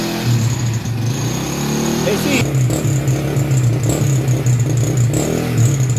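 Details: Honda Wave 100 after cleaning its dirty carburetor, unserviced for half a year, that caused misfiring and backfiring; kick-started since the battery is dead: steady low hum with light throttle blips, running clean and even with no misses.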